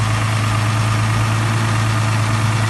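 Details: 2008 Dodge Charger 3.5L, just after valve cover gasket replacement: steady, low, even idle with a constant deep hum, no ticking, hissing or stumble; engine sounds healthy.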